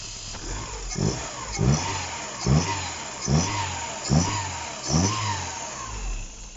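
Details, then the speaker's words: Opel engine after shop rebuild, first start with timing corrected: petrol engine running normally, blipped about once a second, revs rising and falling cleanly. "That we can officially call the first start after the engine build, which is operating under normal conditions."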